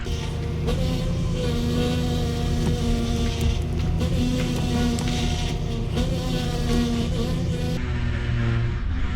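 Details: Ford F-150 with oversized power steering reservoir after fluid refill, steering cycled: constant engine hum with thin steady whine rising slightly as steering turns; power steering pump cavitating on air bubbles, quieting as air vents.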